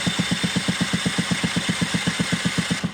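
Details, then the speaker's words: Scooter cranking during a spark test with the ignition coil deliberately disconnected; even cranking thumps about four per second with no cracking spark sound at the plug lead and no visible spark; no spark. "there's very clearly nothing there. There's no visual spark and there's no cracking sound."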